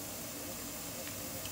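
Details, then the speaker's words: Pressure canner processing home-canned corn, heating up before the weight goes on: steady, soft, airy hiss of steam venting with no sputter or pulsing; normal venting. "it kind of fascinates me a little bit of steam coming out of that as you can see it's kind of rising a little bit and that's perfectly"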